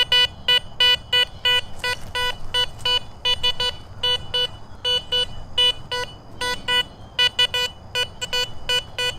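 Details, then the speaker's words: Garrett Vortex VX9 metal detector in standard multi-frequency over flat iron in a park, reading about 52–55: choppy high beeps break up and stutter as sweep direction changes; iron target signal breakup, likely trash. "But normally with iron, you want to go around, multi-directional. And you can hear already it's breaking up as I change my direction on it."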